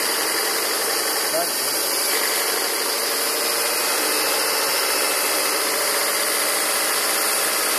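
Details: 2000 Volvo V40/S40 1.8, 122 hp, at idle: a harsh, hissy rasp sits over a steady idle with no clear knock rhythm. The source of the raspy noise is unconfirmed.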